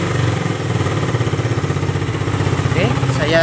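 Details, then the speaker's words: Suzuki Satria FU 150 carburetor motorcycle, serviced for fuel flooding: small single-cylinder idle, even and regular with no hunting or stumbling; flooding makes idle abnormal, but here it idles normally. "nah normal dia ya dia kalau banjir itu langsamnya tidak normal Ya tapi kalau dia nggak banjir Dia normal ya banjir itu berpengaruh pada langsam langsung langsung putaran mesin ya kayak gitu ya bisa diperhatikan ya"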